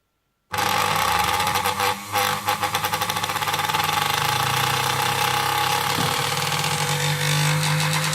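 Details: Newly arrived Singer 431 sewing machine with play in the drive worm and possible transport damage: the motor hums with a rough, uneven buzz and faint rattle instead of a smooth whir. Abnormal motor noise, cause unconfirmed.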